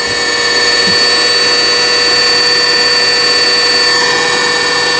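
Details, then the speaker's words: Juki HZL-355ZWC sewing machine, repaired after a jammed hook from sewing thick fabric, winding a bobbin on a Singer pedal. Steady, even motor hum with constant high tones and no knocks or catches; bobbin winding normally. "오르락내락하면서 이제 실을 감아주고 있는 거지, 고르게 감겨야 되는 그 부분입니다."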